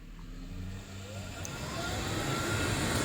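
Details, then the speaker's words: Vaillant Ecotec Plus 838 combi boiler with intermittent F28/F29 faults, fan run from installer test menu: steady airy whoosh builds as fan spins up, faint rising tone, no rubbing or rattle; normal fan operation. "fan comes on, and you can see on screen, and it even tells you the RPMs."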